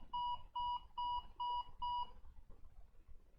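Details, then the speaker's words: HP ProDesk desktop at power-on gives five long, even mid-pitched beeps, the opening of a 5-long/7-short code (5 red, 7 white flashes), indicating platform controller hub (PCH) chipset failure. "so it was beeping five short Peeps and then seven long beeps or I mean uh the opposite way so five long beeps and then seven short peeps"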